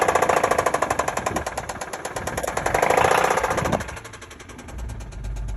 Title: 2005 Acura RL Engine Knocking Noise w/ Acceleration at End